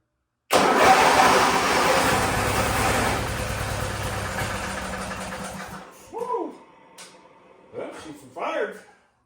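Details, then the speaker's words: Wheel Horse GT-1600 WorkHorse garden tractor, Briggs engine, on ether at full throttle: catches with rough roar, fades over about five seconds and dies; owner suspects no fuel reaching it or faulty carburettor; starts briefly then stalls. "for a second off ether we're just not getting gas to it I don't think either that or that carburetor is messed up"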